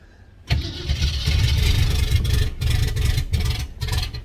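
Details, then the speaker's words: 1989 turbo Fox Body Mustang V8, first start after a Melling high-volume oil pump install, timing set at 10 degrees, distributor possibly a tooth off: starter grinds, engine catches with an uneven lazy lope and ragged bursts; sounds late-timed, suspected. "yeah it sounds late all right hang on see how that does"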